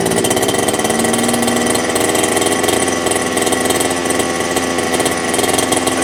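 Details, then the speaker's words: HPI Baja 5T RC car small two-stroke, primed and started on choke, warming up about 30 seconds: settles into a steady, buzzy high-pitched idle with an even beat and no misses; normal idle. "Point, we're going to let it idle in for probably a good 30 seconds or so, get it warmed up."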